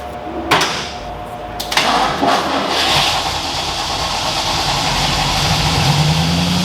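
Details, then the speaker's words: 1986 Ford F250 after ZF5 manual transmission swap, first start: engine runs but a harsh raspy grinding stays over idle; owner suspects starter hanging or something at the flywheel. Truck moves. "I think the starter's hanging. So something in the flywheel is making a lot of noise. So ignore that, but it works. It is really making a lot of noise, but it did move though."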